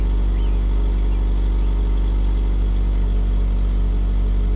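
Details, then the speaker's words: 2009 Subaru Outback after installing a new stainless steel cat-back exhaust, engine partly warmed (about a quarter of normal temperature), third cold start after an ECM reset: deep, steady low rumble, smooth quiet idle that settles faster; normal idle. "so it made only a small difference the engine settles down faster and gets quieter faster i'm satisfied with this"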